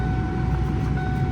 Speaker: Let's see if the AC works. Okay, we got air.